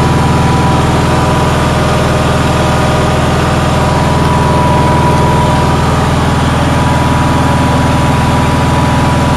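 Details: Onan generator running on a cold day: loud, fast, steady drone with no hunting. Outlets read 160 and 170 volts, stator about 18 volts, and it won't adjust down further. The owner thinks it idles way too fast; cause unconfirmed.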